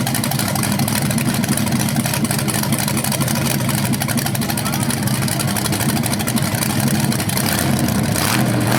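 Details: BluePrint 396 crate engine for a 1970 Camaro SS, first run after oil priming and timing check: deep, even burble with clean throttle blips, no knocks or ticks; normal, though owner notes the flywheel or headers sound slightly different when revved.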